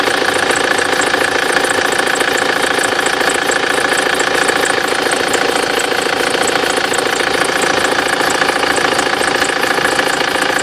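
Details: BMW F25 (X3) with N47D20 diesel at steady idle: sharp, regular chirping squeaks about twice a second; accessory belt slipping and squealing.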